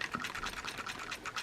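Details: Trash-picked DeWalt cordless drill: fast, uneven rattling chatter over a light motor whir; gear train makes a noise it shouldn't, drill judged no good.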